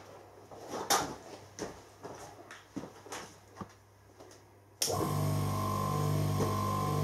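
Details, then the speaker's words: Three-phase motor reconfigured from star to delta and run on single phase via capacitor, turning in the correct direction: after some bumping it starts and settles into a steady, even hum with no growl or rattle; nice and quiet, normal running. "we love to talk it sounds nice and quiet wait"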